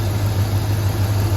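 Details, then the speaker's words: Second-gen Dodge 5.9 V8 truck with new battery, charging at 14 V, A/C off: steady, smooth low rumble with even firing and no knocks or whine; after rough running and 10–11 V readings, it now idles normally. "14 volts that's pretty good all right let's crank the air on truck seems to be running more normal now"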